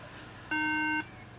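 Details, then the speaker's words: Apple MacBook Pro 13-inch A1278 on the charger at power-on: a clear half-second beep in a repeating startup pattern signalling bad RAM; the machine was later found to have a bad RAM module and a bad RAM slot. "oh Boop okay that is a bad Ram sound that's bad Ram"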